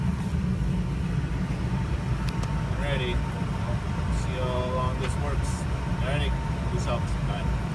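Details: 2004 Ford F150 idling after the tailpipe, broken off at the muffler, was reattached with a new rear exhaust hanger bracket and a stainless strap clamp: deep, steady exhaust rumble, no ticking, puffing or rattling; exhaust sealed, normal idle.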